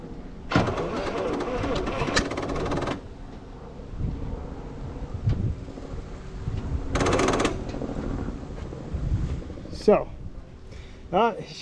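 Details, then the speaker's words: 1968 International 1100C truck with engine from a 1976 Scout II, not run in years, throttle return spring missing: two bursts of steady laboured cranking, never fires; owner suspects worn battery. "cranking uh maybe the battery is a little worn out let's grab another battery"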